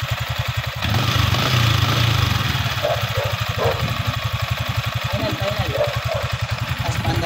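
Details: Yamaha Sniper 155 after fitting an SCK big radiator, first start: single-cylinder engine idles with an even, steady putter, then revs cleanly and settles back; no rattles or knocks, healthy.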